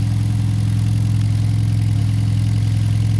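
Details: Kia Rio that overheated a month after an engine overhaul (oil in coolant), new radiator cap fitted, head gasket torqued to 60: steady even low idle with no misses or knocks, no coolant bubbling; sounds healthy.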